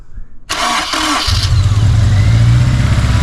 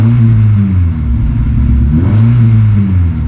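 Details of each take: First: 2006 Honda S2000 AP2, 4-cylinder, wrecked rebuild: catches quickly then settles into a lumpy idle with a skipping beat; misfire persists after a fix attempt, owner suspects an injector, not a burnt or bent valve. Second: 2006 Honda S2000 AP2, 6-speed manual, wrecked rebuild: after a cold start that missed but cleared up, a brief blip then a steady, even idle with no stumbles or misses once warm.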